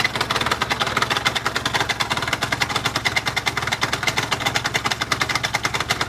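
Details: Two-stroke scooter idling with a sharp, regular rapid tapping about eight per second; knock only at idle, not at speed, crankshaft has no play, piston and rings new, knock disappeared then returned after two weeks; cause not found.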